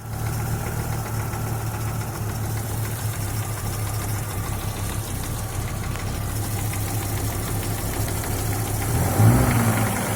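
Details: Audi with 2.3 NG engine, warm idle: a fast dull knock about three per second, heard loudest at the sump's right side near cylinder 4. It appears at 70-80°C, grows with heat, vanishes at 1400-1500 rpm and briefly when cylinder 4's plug cap is pulled; quiet when cold.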